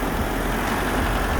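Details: Datsun 720 4x4 King Cab, 5-speed, one family owned, freshly tuned up (plug wires, cap, rotor, oil change), hood open: steady even low rumble with no knocks, misses or squeals; normal idle.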